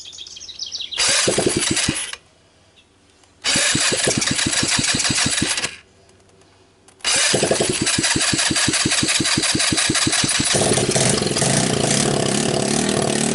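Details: TMEC 150cc GY6 returned motor test-started in its shipping box with no exhaust, a portable 12 V CDI and a jump pack on the starter: two starter bursts, then it catches and runs steady and raw. Normal start and idle.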